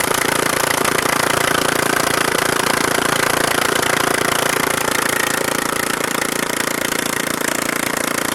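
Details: Neglected Briggs and Stratton 13.5hp Intek engine after repair (used carburetor fitted, valves adjusted, shrouds and wiring reinstalled): even, steady exhaust beat at constant speed with no knocks, misses or surging; runs well.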